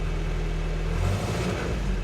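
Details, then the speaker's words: Land Rover Series 3 Lightweight, carburetted petrol engine warming up without choke on a cooler day: deep, even rumble holding a steady idle with no stumbles or misses. Engine seems happy, normal warm-up idle before driving off. "There we are, he seems happy enough."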